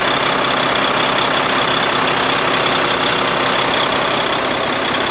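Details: Volvo VNL truck with D13 diesel, first start after sitting about five months following a deer collision: steady, even idle with a constant low beat and no hunting up and down; idling normally.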